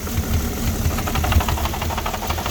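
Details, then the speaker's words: 2006 Porsche Cayenne 3.2 V6 petrol, cold, just started: lumpy, stumbling idle with irregular low thumps; owner suspects a misfire or vacuum leak, also throttle body problems; cause not confirmed. "Engine starts. I don't know, got some misfire or something. Still no running properly."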